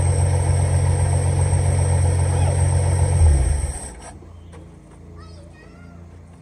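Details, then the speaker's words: 300 inline-six after a carburetor rebuild (had been running rich and fouling plugs), idle readjusted: smooth, even low idle with a steady deep rumble, no misses or knocks, then fades away; runs well. "but it runs and it runs pretty darn good if I do have to say so myself"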